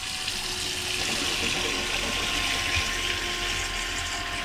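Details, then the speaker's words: Boat water pressure pump running during sink/washbasin test with water draining: steady motor hum with light rhythmic pulsing as the pump regulates pressure; working normally. "on évacue merci tout ça ça marche bon bah ça évacue sans problème ouais ça on entend que ça régule la pression"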